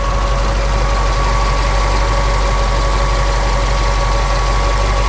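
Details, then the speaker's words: 1966 Ford Galaxie 7 Litre with a 428 donor engine, being broken in after frequent overheating, no PCV, some blow-by: loud lumpy V8 idle with a faint steady tick, suspected valvetrain or a small exhaust leak, unconfirmed. "you can hear it making noise over here it sounds like a little bit of valve train maybe a little bit of an exhaust leak"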